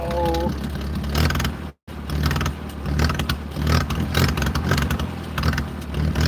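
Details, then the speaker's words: 1940s wood splitter with International Cub engine on a cheap replacement carburetor, cold start around 50s°F: low, uneven chugging with a brief stumble that nearly cuts out while the choke is finessed until warm. "heat. Come on. I really want to be able to take the choke all the way off. And you'll hear it runs different."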